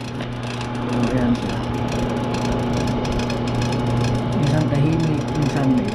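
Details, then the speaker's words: Bathroom exhaust fan that is intermittently noisy: steady motor hum with a faint scraping that comes and goes, found to be the fan rubbing against its plug or outlet; dirt is also suspected. Exhaust fan rubbing. "Ayan maiingay siya Eh siguro sa kadumihan na rin"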